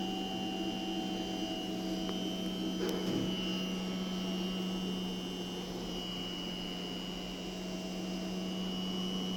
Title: Strange noise from STP X 20. Astana, Kazakhstan, 02.06.2026